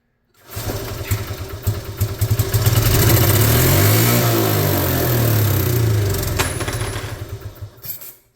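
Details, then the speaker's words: 1986 Honda TRX70 ATV that sat for an unknown time, rope-started with carb cleaner: the single cylinder catches and revs unevenly for a few seconds, then dies. It runs, but not well; the carburetor needs cleaning out. "Damn. All right. I know it'll run now. Let's see if we can keep it running."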